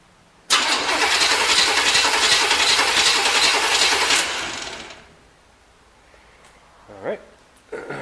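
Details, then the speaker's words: 1973 Corvette C3, non-running eBay car, starter jumped directly from a battery connected only to the chassis: strong, even starter whir for about four seconds, no dragging or grinding; starter sounds healthy. "we should be able to basically jump start the starter let's see what it sounds [Music] like sounds pretty good"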